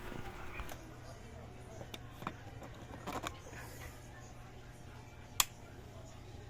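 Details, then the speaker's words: Single-tub washing machine wash motor after repair of a bushing that had dried of oil and stuck to the shaft, belt refitted: quiet, steady low drone with the humming gone; normal washing machine motor run. "unit yun Guys kung maobserbahan niyo nawala na yung Ugong ng wash motor So ganun lang ang naging problema niya natuyuan ng langis nin at dumikit Ying sa sh"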